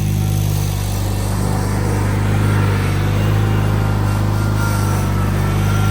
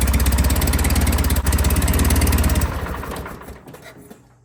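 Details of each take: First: John Deere 316 tractor after throttle cable repair: steady low engine drone at even speed, no knocks, misses or surging; normal running. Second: John Deere 316 tractor engine after first attempt to tighten a slack throttle cable: steady low thudding about three and a half beats a second, then dies away; never reaches full speed; repair failed.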